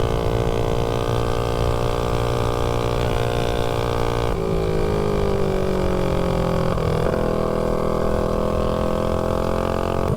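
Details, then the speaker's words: Predator 224-powered GTS mini bike with tuned 26 mm PWK carb on a road run: pulls steadily, pitch rising and falling with throttle, no popping when the throttle closes; not running lean. "yeah you don't hear a lot of backfiring too when you come off the throttle so it's not really lean"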